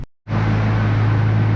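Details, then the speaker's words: SS warm after a coolant leak repair, temperature around 90: the cooling fans cut in abruptly with a steady low hum and even airflow, no rattle or wobble. The fans work normally. "Now I hear fans. That's a good thing. Fans on nice and warm."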